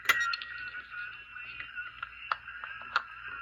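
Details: Zenith Royal D14 Owl 1970s transistor radio, revived by replacing a failed transistor, turned up full and picked up by a mic near the amplifier; thin, narrow station audio comes through steadily with no hum, hiss or crackle: receiving cleanly.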